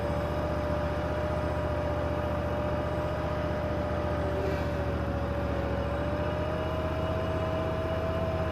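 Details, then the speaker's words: Bobcat Predator Pro zero-turn with Generac engine, earlier bogging in tall grass, in hot weather, at wide-open throttle with full forward drive load: steady drone holding pitch with only a brief sag that recovers at once; normal governed running. "I went wide open throttle and I was trying to give it a load. Basically, I was giving it um full forward and you heard the motor just bogg down for just a split second"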